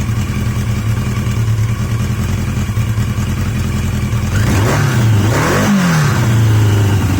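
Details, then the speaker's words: Yamaha XJ750 after a carburetor swap from an XJ650, recorded in strong wind: steady, even idle with a smooth low beat and a couple of clean blips that settle back; best idle yet, sounds healthy. "I think that's the best idle I've had"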